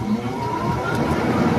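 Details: Window air conditioner after its fan capacitor was replaced, 3 µF swapped for 6 µF; steady, even fan hum, fan drawing 0.56 A, running normally before the compressor starts.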